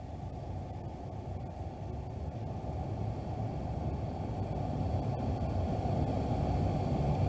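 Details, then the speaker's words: 2013 Ford F150 after replacing a burnt blower motor resistor: smooth, even fan rush building louder as speed steps up to high, no rattle or squeal; blower works on all settings. "So basically what you want to do is just check and make sure that your blower motor is working on all the settings, and it is."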